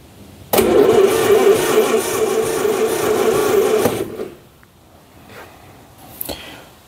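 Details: 1950s Daimler Consort barn find: after the distributor cap was cleaned it now has spark, but the starter cranks steadily at about four turns a second for three seconds and stops without firing. More plugs still need cleaning. Cranks, no start.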